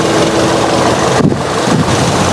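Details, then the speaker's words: Toyota Yaris Type E 2011 automatic, used-car inspection, engine at idle with no oil seepage found: steady, even petrol idle under light wind, no knocks, ticks or misses; engine sound judged smooth and normal. "untuk mobil ini Aman suara mesinnya halus standar normal"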